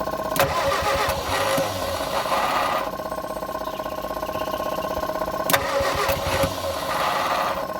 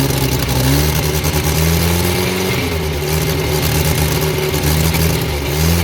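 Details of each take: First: Abandoned Morris Minor being revived: starter cranks steadily with a few uneven catches as a cylinder fires and drops out, skipping on the starter motor but never running; no start yet, small amount of petrol to be introduced next. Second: Abandoned Morris Minor, last-ditch start after fixing a fuel leak and rigging a throttle pull wire; old petrol engine catches and runs steadily with throttle blips, note rising and settling evenly: normal running, runs well.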